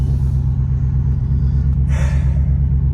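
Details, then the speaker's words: Audi A6 4.2 V8 in winter at idle: a loud, deep blatting, uneven rumble from a torn-apart exhaust flex pipe beneath the car; a bad downstream O2 sensor also causes a rough, misfire-like idle with no misfire codes. "First issue is the flex pipe straight below us is basically tore apart. So it sounds really bad."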